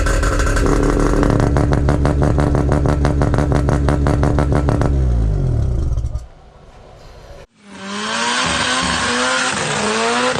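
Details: Mazda RX7 FC, billet semi-peripheral/bridgeport 13B rotary, first start after new wiring loom; choppy fast-pulsing idle blipping up and settling, no knock or rattle, healthy.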